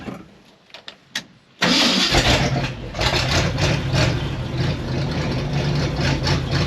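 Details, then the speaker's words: 1971 Ford wrecker truck with new distributor cap, points, coil, plugs, rebuilt carburetor and fuel pump, started in neutral on choke: cranks briefly, fires to fast idle with a chuffing, puffing edge each beat from many exhaust leaks. "pumps runs pretty good so you can tell it's got a lot of exhaust leaks"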